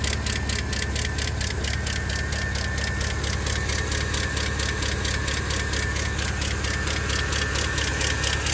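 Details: 2012 Camaro SS L99 V8 at idle: sharp, even ticking about two times a second, clearly louder than normal valvetrain clatter; source not yet pinned down.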